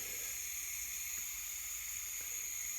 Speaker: You can hear the gas coming out, but this never lights up. It should.